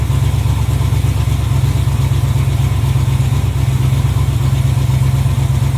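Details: 1986 Camaro Z28 350 small-block V8, previously backfiring for the last owner, first run off the tank on a new fuel line with oil pressure and charging: smooth even rumble, steady quick pulse, no knocks or ticks; normal idle.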